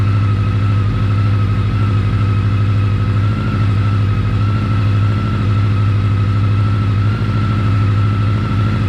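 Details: 1983-84 Honda Nighthawk 550 (CB550SC) after an oil change, checking for leaks; smooth steady idle with even low hum, no knocks, ticks or misses.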